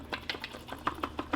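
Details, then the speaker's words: Passenger-side front axle removed from a 2008 Nissan Altima, worked by hand: sharp dry clicks about six per second from a worn CV joint that has been slinging grease. "it's been singing grease and like it clicks like I don't know if you guys"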